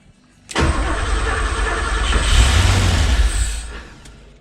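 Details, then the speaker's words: Porsche 928 4.7 L M28/12 K-Jetronic V8 after sitting 20 years, cranked without starter spray: catches at once and holds a steady even idle about three seconds on real fuel before shutting off; fuel pressure noted low afterwards. "okay that's good news holy smoke that's good news that was running on real fuel yeah"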